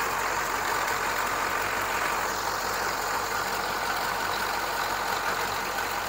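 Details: GM 6.2/6.5 diesel after injection pump timing set to zero with a diesel pulse adapter and timing light: even, steady idle with consistent clatter, no stumbles or knocks; healthy idle, timing correct.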